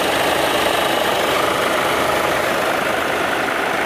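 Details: VW Jetta 2.0 TDI diesel, engine warm at idle, AC off, codes P011700 P218400, check light on: loud steady rushing roar as both radiator fans run constantly; cooling fans stuck on.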